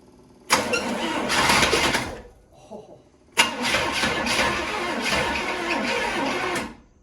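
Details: 1977–78 Chevrolet Caprice Classic 350 with 52,000 original miles, first start attempt in over 20 years, carburetor bowls filled: two long stretches of steady, even cranking; the engine spins freely but never catches.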